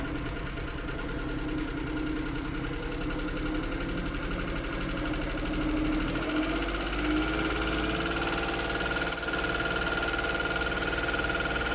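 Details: Suzuki F6 with hard starting: a steady idle with an uneven, stumbling beat of about three per second and no smooth rhythm; a misfiring idle, cause suspected but not confirmed.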